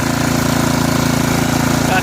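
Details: Snapper SR1433 rear-engine rider, sat 8 years, running after carburetor work: even, steady putter at idle with no misses, knocks or hunting; runs good, nice and quiet, smooth; normal idle.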